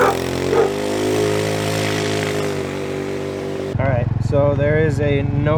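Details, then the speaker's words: Stock 50cc GY6 TaoTao scooter with CDI, coil and plug wire, on a test ride after a clutch spring install: steady drone, then revs climb with a wavering, labouring pitch and sluggish pickup. Stiffer clutch springs bog it, slower than the 38 mph baseline. "a noticeable difference in acceleration and top speed. It's not fast, it's a lot slower. The scooter doesn't like it. We don't have enough power."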